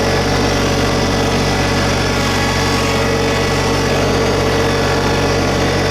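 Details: 2022 LS MT125 tractor, new, with about half an hour on it, small diesel at idle brought up a little with loader and mower deck raised. Steady low drone with even clatter, no knocks or misses; healthy normal running.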